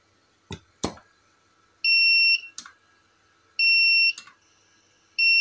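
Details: Tronic Alfa studio monoblock flash, verified at a true 800 W, after repair of power-drop and calibration faults: sharp pops, each followed by a steady high recharge beep about every two seconds; fires and recycles normally, no auto-dump feature.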